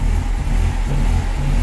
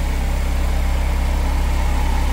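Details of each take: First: 1998 Mercedes SLK230 R170, M111 Kompressor, in limp mode with no throttle response: the low engine drone swells and sags about every half second. Idle hunts with the original ECU, which fails to communicate with the throttle body; a cloned exchange ECU fixed it. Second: 1998 Mercedes SLK230 R170 M111 Kompressor with exchange/cloned ECU fitted: steady even idle, no hunting; original ECU caused hunting and limp mode by failing throttle body communication.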